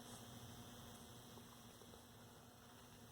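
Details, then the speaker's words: 1932 Aztec cathedral radio under diagnosis, film caps replaced, on bulb limiter with rectifier installed: faint steady low buzz from power transformer straining under excess load; suspected defective transformer or downstream short, unconfirmed. "but it certainly doesn't like that I can hear the transformer buzzing away"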